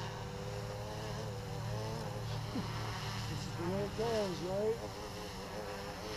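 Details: Flip Sport FPV quad with Naza Lite, front-left motor swapped to back right to test flopping: steady motor whine, then pitch sags and wavers as the swapped motor cuts out from overheating; that motor felt much hotter, so motor confirmed as cause, not ESC.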